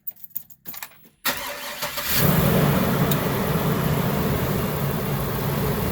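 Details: Workhorse chassis 8.1 Vortec V8 RV after bypassing a bad AC compressor bearing with a shorter belt and new idler pulley: cranks, catches and settles into steady, even idle, no belt squeal or bearing noise.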